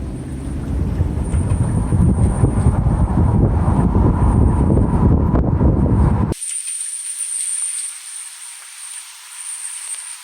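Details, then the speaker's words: Hyundai Kona Electric while driving: a steady, very high-pitched metallic hiss or screech rides over road rumble and is heard reflecting off walls, curbs and other vehicles with the windows open. VESS was disabled by pulling fuse module 4; the source is still unknown. "I hear it not only when driving next to walls but I hear it just driving down the street with the windows open bouncing off the curbs bouncing off of other vehicles that kind of stuff right"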